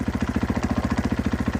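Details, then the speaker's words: Cold 2014 Husqvarna FC 450, unstarted for a week or two, at fast idle: fast, even rattling pulses over a low thump with no odd knocking. Most of the clatter is clutch chatter, changing with clutch in versus out. "most of that is clutch chatter. You can hear the difference."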